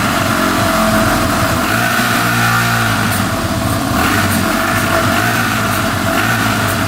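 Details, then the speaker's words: 2005 Yamaha TTR250 that had sat without starting, after replacing a carburetor needle that blocked fuel: picks up cleanly on the throttle and settles back without stumbling or ticking, no carb leaks; normal running. "running really good no leaking from the carburetor so I think we're all set sounds great no ticking"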